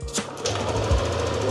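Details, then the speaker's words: Yamaha NMAX V2 2022 scooter, after idle screw set to 12 turns to fix low, possibly misfiring idle that stalled without throttle: short burst as it catches, then an even, low putter holding steady without dipping or stalling; idle now correct. "Try natin kung ayos na yung minor niya sa 12 ikot. Ayan, buhayin natin."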